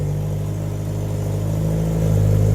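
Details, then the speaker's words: Nissan Silvia S13 after a fuel-system rebuild, revved in neutral with the wheels spinning: strong, even drone climbing smoothly with no stumble or hesitation; normal revving. "whoa that sounds awesome I think we got full power folks"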